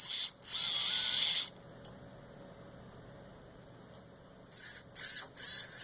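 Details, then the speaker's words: Small motors spun up in short bursts: motors one and four give a harsh, gritty, high-pitched whir from bad bearings, while two and three are quiet. Finding: bad motor bearing noise. "I don't know if y'all can hear the difference in the Sounds here but two and three are good one and four sounds awful"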